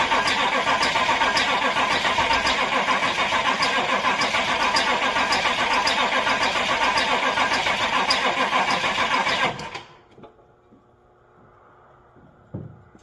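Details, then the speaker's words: Crew cab Chevy C20 with 89 hp indirect-injection diesel: sluggish even cranking about nine seconds without catching, tapering off at the end; starter short of battery power, later started with jump starter and ether. Slow cranking from insufficient cranking power. "okay we're going to let this sit for a bit and build up some juice cuz uh it's still kind of tapered off the end there"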